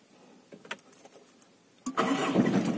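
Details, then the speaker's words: Mitsubishi Kuda diesel, starting after starter motor solenoid replaced with new original part: a few light clicks, then the engine catches at once and settles into an even run; starter engaging cleanly, normal start. "Oh sudah bisa nyala dengan normal ya ini mesin sudah langsung hidup staternya sudah oke kembali setelah kita ganti solenoid yang baru"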